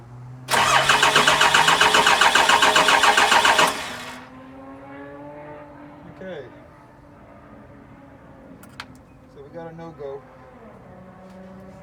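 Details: Cummins diesel with VP44 pump, 199k miles: fuel pump powered, the starter churns evenly about four turns a second for three seconds with no firing or injector puffing; no-start, fixed by rewiring crank and cam sensor wiring.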